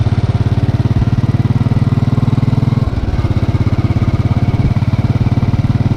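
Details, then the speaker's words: Hot motorcycle idle after a short ride, with the engine replaced (including starter, internals, throttle body and fuel injector): an even, steady low thump with no top-end ticking or knock; running smooth and quiet. "as you can hear nothing no have little choices whatsoever valve boys is quiet"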